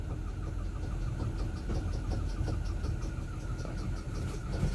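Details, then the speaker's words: 1980 Chevy 4x4 truck, just revived after flushing rust from the fuel system, idled up with the AC switched on: quick regular ticking chirp over the rumble. Something is wrong; the compressor may not be turning and it is suspected low on Freon. Not confirmed. "idle it up that doesn't sound good AC worked the last time"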